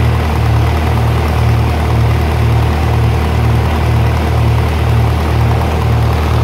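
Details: 1948 Lincoln SA-200 welder engine, long unused, revived with little work, with a short stack with resonator: a deep, steady idle with an even thump about twice a second and no misses or knocks. Normal, smooth idle.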